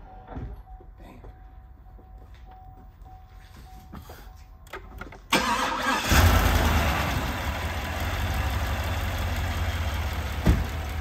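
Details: Cadillac Escalade V8 at its first start after a lifter repair and partial rebuild (machine-shop-smoothed lifter bore, Mobil 1 full synthetic): a brief crank, then it catches and settles into a smooth, even idle with no valvetrain ticking. It sounds healthy.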